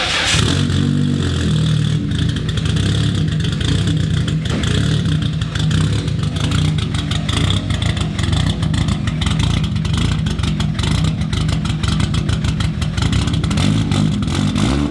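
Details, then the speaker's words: Nissan R32 GTR, warm, on a Link ECU tune with a deliberately cranky idle and anti-lag: deep, choppy, loping idle with sharp crackles over it, running strong; a normal tuned lumpy idle. "We'll start it up, he put a cranky idle in there, got a bit of anti-lag and all sorts of cool stuff going on, but start it up, give you guys a listen"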